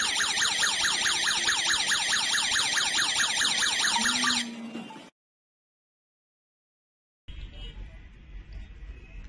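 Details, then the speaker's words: Loud, rapidly warbling electronic siren cycling evenly for several seconds before cutting off: the smart home host device sounding its alarm when the wireless water leak detector signals a leak during a test. "If there is a water leak, the detector will send a signal to the host device. The host device will generate an alarm and send a notification to your mobile app, and at the same time it will give you a phone call."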